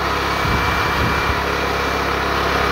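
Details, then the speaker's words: Generator running under load from a hair dryer switched to high, feeding a Growatt inverter charger; steady engine drone holding an even pitch, no hunting or surging, as the load drags the generator down but it carries it. "can hear that it's going and running, and I'm gonna kick it up onto high. Here it drags the generator down."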